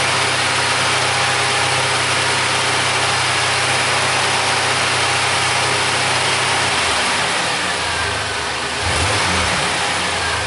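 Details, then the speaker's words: 1999 Suzuki Grand Vitara that won't set inspection monitors, after a brief warm-up with a new universal upstream O2 sensor fitted: smooth steady idle rising cleanly with throttle and settling back, no misses or hesitation; responsive, normal. "seems to be pretty responsive that's a good thing I guess"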